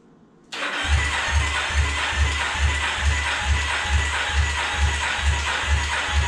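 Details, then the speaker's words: 2008 Yamaha Raptor 350 ATV cranking with fuel squirted into the cylinder in case rings were stuck; slow even cranking with no firing, compression too low, rebuild needed; metal, likely aluminum, found in the oil. "Nope. We are too low on compression for this thing to start. So it looks like we got a rebuild on our hands."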